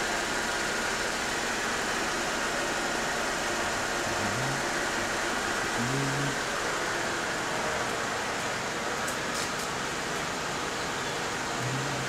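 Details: Nearly new 2009 Mini Cooper, regular 1.6-liter non-turbo inline four, about 6000 miles: smooth, even, quiet idle hum with no knocks or ticks; healthy.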